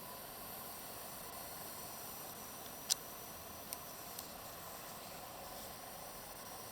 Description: Extraneous hissing noise (maybe from chokes) on EVGA GTX 1070 OC under full load (Furmark test)